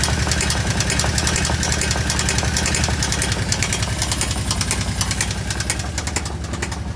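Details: Kawasaki KVF750 V-twin at idle: a loud, fast metallic knock about 3.5 times a second. The owner thinks it comes from the rear cylinder; the valve tappets were checked and are fine, so the cause is unknown.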